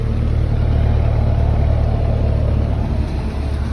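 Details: R56 Mini Cooper S at cold start, with the timing chain already replaced by a shop: fast, fairly regular tapping near four per second over a deep steady rumble, quieter than before the repair; persistent knocking, cause unknown.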